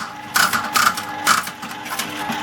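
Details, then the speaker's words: 1979 Aristocrat Esprit 4-reel mechanical slot machine after payout, corner arm operating: a few sharp clunk bursts about half a second apart, each crisp and complete; reel mechanism cycling and latching normally. "Yeah, but you like it to clunk clunk. And have a look at that arm on the corner. You have a look how it works."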